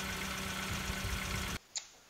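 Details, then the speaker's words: Kia engine at idle after oil additives to quiet noisy valve lifters: smooth even idle, no lifter clatter, only faint ticking from the GDI fuel pump; normal idle. "You are hearing a little bit of a ticking, but that's the GDI fuel pump on the Kia that makes that noise. But as far as the valve lifters, they are completely taken care of and quiet."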